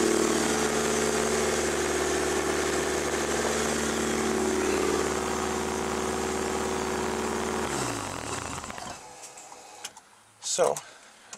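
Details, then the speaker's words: FB RX7 with SR20DET swap and new wiring harness, started after sitting under snow, no fans hooked up: catches immediately and settles into a steady, even idle; starts right up. "starts right up every time thanks to that wearing specialties harness that thing's awesome"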